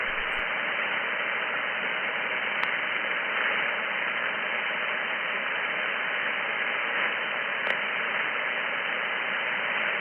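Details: Radio receiver reading about S7 while household circuit breakers are switched off one at a time: constant hiss across the whole band, no tone or pulsing, a couple of clicks. The interference is unchanged, so its source is still unknown.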